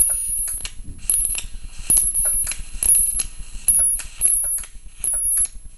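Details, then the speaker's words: MOSFET flyback transformer driver at a lower frequency: buzz under a high whine while the bench power supply clicks and cuts out about once a second, overloaded even with current set to maximum. "every time you hit clicking um the power supply clicks because it's not strong enough although I cranked up the current to maximum it's not strong enough to resupply the circuit"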